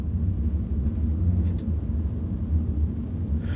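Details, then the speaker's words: Toyota car with 142,000 miles, driving with windows up: deep steady rumble from the rear; rear wheel bearings wearing out. "rear wheel bearings are starting to wear out now it does have 142 000 miles on it that's kind of typical"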